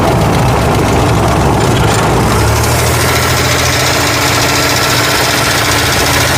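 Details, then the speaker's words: 1965 Ford F100 240 inline-six after carburetor replacement: loud, uneven idle with irregular lumpy beats two or three per second and shaking; rough idle likely caused by idle air mixture screw turned all the way in. "it looks like the air idle air screw mixture was turned all the way in which explained the rough idle and all that shaking"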